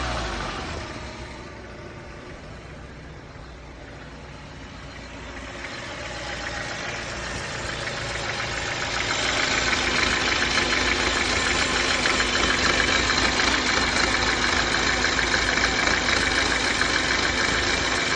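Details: BMW N43 petrol engine idling with a steady, even knock, roughly three a second, over the engine hiss.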